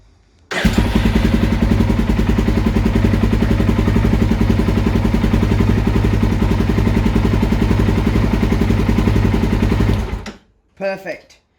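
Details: Polaris Predator 500 road-legal quad that would not start after a ride in the rain; rusty circuit breaker replaced with a 10 A thermal reset breaker. After the fix it catches at once into a steady, even idle of about 3-4 firing pulses a second, no knocks or misses: healthy.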